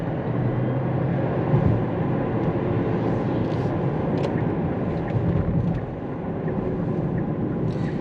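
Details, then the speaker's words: Kia Niro EV tested on a test drive after warming gearbox oil, for an intermittent knocking gearbox rumble reported after hard acceleration: only steady tire and road rumble, no knock, clunk or whine; gearbox sounds normal. "donc en général nous n'avons conduit aucun défaut, nous ne pouvons pas l'entendre"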